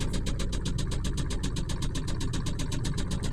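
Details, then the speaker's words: 1998 Ford F-150 4.6 V8 idling, heard from inside the cab, with a sharp regular knock about four per second near the starter area, after a seized starter was replaced; flywheel looked fine, and owner unsure if starter or something else. "well this is what it sounds like from inside it does not sound normal I don't know if that is the starter or something else"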